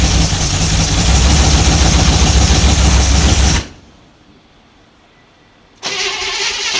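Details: 1955 Chevy 210 Delray, 265 V8 with glass-pack exhaust, first start attempt in who knows how long, no transmission fluid: ragged firing for about 3.5 seconds, quits, then catches again with no knock. Sputtering start; owners wonder whether fuel is pumping.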